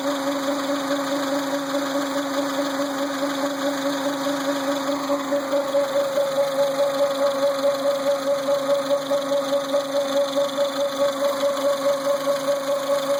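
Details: Renault Symbol: constant mid-pitched whine pulsing slightly with the engine rhythm over the running motor; power steering pump whining.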